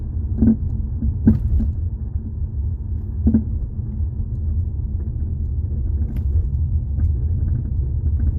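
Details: 2018 Jeep Compass driving over bumps, microphone held underneath near the floor: sharp clunks over road rumble; front sway bar links suspected.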